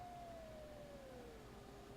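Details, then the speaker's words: Elecraft K2 kit, side tone set at 600 Hz, speaker held to the mic. Turning the VFO changes the pitch, from up to 800 Hz down to 400 Hz. A clean single tone glides smoothly in pitch with no warble or dropout. Side tone pitch adjustment works. "Then vary the VFO. The pitch will change. Oh yeah. It goes up to 800."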